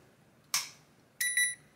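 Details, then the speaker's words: Hisense air conditioner indoor unit control board powered on the bench through its two supply pins, cold mode: sharp relay click, then a second click with a short double beep; normal power-up, owner reports it later shuts off by itself. "włączamy i słyszymy klikanie włączamy w trybie zimnym wyświetla się i czekamy"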